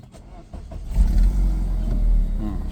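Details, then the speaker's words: BMW E36 with M43 engine, previously hard to start, after a one-way valve was fitted to hold fuel pressure, first start of the day: brief crank catches within about a second and settles into a steady low idle; normal quick start. "เดียวติด"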